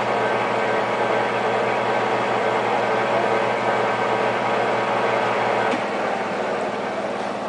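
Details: JET 18 x 80 inch gap-bed geared-head lathe, 230 V three-phase 7.5 hp: steady, even gear-driven whir with constant hum, no knocks or grinding; headstock running normally.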